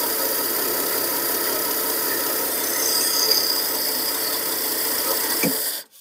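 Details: 1953 Ford 4x4, cold start at about 38°F on gravity-fed gasoline, no radiator fitted; a steady, even, fast-paced run with no knocks or misses, dying away at the end; the engine sounds healthy.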